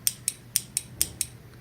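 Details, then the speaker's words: Four-post low-amp relay on test, magnet coil about 70–80 ohms, grounded to energize: six crisp, clean clicks over a quiet hum; relay pulls in properly, contacts then read low resistance, a good relay. "we're going to listen for a thunk or click like a relay they click so when I ground this out here I don't know if you can hear that but it's clicking"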